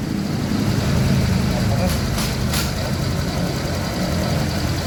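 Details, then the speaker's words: Honda Vario 150 after replacing the worn CVT block bearing that caused CVT noise: even, steady idle hum with no whine or rattle from the belt drive; normal CVT idle. "Dan ini hasil sekarang. Oke, sudah selesai. Dan yang diganti hanya bagian lahar blok CVT atau bearing blok CVT saja."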